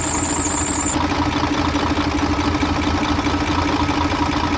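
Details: Mercedes Actros MP2 truck diesel engine with a hard-starting fault: heavy diesel running with a steady low beat and an uneven, lumpy rhythm at idle; cause unknown.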